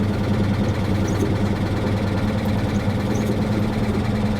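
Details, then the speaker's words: 2022 Honda Civic Sport from a salvage auction idling with a steady hum and an uneven tapping knock, two or three a second, that doesn't subside; gauges and screen dead, owner wonders if it ingested water; engine knocking at idle. "I don't think that noise is going to subside guys that's really sad I wonder if it sucked up some water or something"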